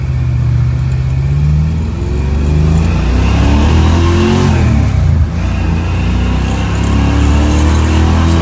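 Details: 1966 Mustang on test drive after a Spectra fuel-injection tank install, which previously cut out under heavy throttle: the engine now pulls cleanly through the revs with a steady rising note, no stumbling, and normal acceleration.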